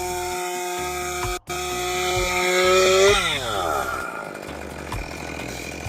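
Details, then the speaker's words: Stihl MS201TC chainsaw that would not run and had zero compression, test-started after a complete engine teardown and replacement of the damaged parts. It fires and revs to a clean, high buzz, then drops back smoothly; sounds pretty good, back up and running. "I'd say that sounds pretty good. back up and running."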